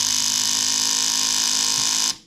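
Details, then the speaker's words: Kawasaki KFX450R ATV won't crank on the button despite the owner replacing the starter solenoid, battery and button (it runs with a mid-range hesitation when bump started). Pressing start gives a loud, steady, high two-second solenoid buzz with no cranking; the starter terminal is shorted to its case. "now he's informed me that he's replaced the starter solenoid the battery the button just about everything and this thing just makes this crazy noise"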